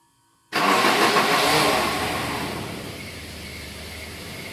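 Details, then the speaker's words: Volvo daily driver with 250,000 miles, stock engine: harsh grinding roar on cranking like a wood chipper, then fading into rough run; starter motor failing, needs replacing. "That's not what a starter's supposed to sound like. So we need to put a starter in it."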